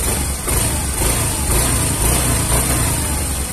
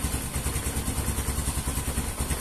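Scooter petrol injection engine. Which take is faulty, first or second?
second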